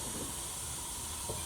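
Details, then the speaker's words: Cutlass with 4.10 gears and a 700R4, running badly, just back from a drive: a steady hiss as the fuel cap is loosened, releasing excess pressure that had built up in the tank. "let me take the cap off oh yeah your pressure in the tank"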